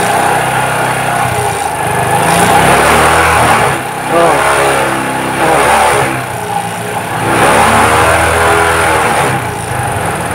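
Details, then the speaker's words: Suzuki Shogun 125, new spark plug, cleaned carburettor, charging 13–14 V: engine surges and dips unevenly at low speed, jerky hesitation rather than bogging; cause found as loose carburettor needle not following the slide. "dengarkan mesinnya teman-teman ya ini pada saat pelang jadi ada kayak sendat-sendat"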